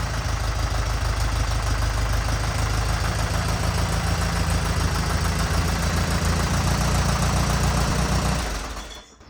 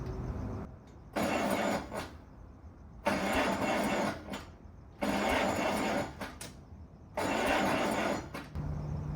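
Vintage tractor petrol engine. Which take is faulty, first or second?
second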